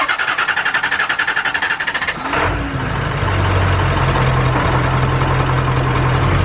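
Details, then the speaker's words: Diesel truck, believed to be on a 190 tune, after a fuse replacement: cranks, catches, then a low, slightly lumpy idle with steady clatter. Idle sits low and sounds weak, as it did before; no misfire at high idle. "Also just sounds like it's idling really low. But I mean, like, that sounds like it used to."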